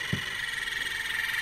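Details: ebm-papst Q-series shaded-pole fan motor M4Q045-CA01-09 (230 VAC, 1300 RPM, sleeve bearing) from a heating fan: steady buzz with sharp high ringing, runs unevenly then stops; shaft has a lot of play, suspected bearing problem.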